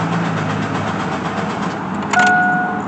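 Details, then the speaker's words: Chevy Blazer ZR2 after fuel pump relay swap: steady rhythmic cranking, engine never catches, then a chime; fuel pump heard running but no fuel reaching the engine, owner suspects fuel pump. "i could hear the fuel pump going now still no fuel up here though"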